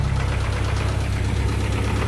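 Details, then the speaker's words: 1992 Honda Accord EX with H22 engine build, idling before being driven: heavy, rapid, loud low knocking; owner suspects the cams, motor believed done, cause unconfirmed. "Don't know what that is, but that sounds very bad. Almost sounds like the cams."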